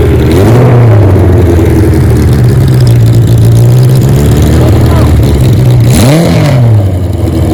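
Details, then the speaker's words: 1977 Kawasaki KZ1000 D6 sidecar racer warming up while being tested: a steady, even four-cylinder drone rising and falling smoothly with the throttle, no knocks or rattles, no smoke. Normal running. "the motor didn't smoke we're gonna warmed up didn't smoke at all"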